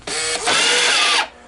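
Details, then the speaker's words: American Changer green-stripe coin hopper on the bench before rebuild: a short high motor whir stops, then restarts at a different pitch for about a second and cuts out, reversing because something is stuck inside. "okay this is what we call a stuck hopper because it was reversing it would try and start"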